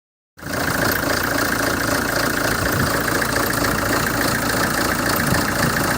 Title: Hyundai Terracan Crdi 2007 Rough idle